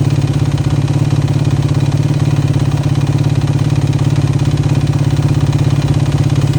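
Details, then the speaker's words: 2009 Yamaha YFZ450R at warm idle: a steady knock about three or four per second that keeps time with the engine, worse when warm; piston slap suspected, unconfirmed; still makes good power, no smoke. "still makes excellent power doesn't smoke or anything like that but it just doesn't sound like you should"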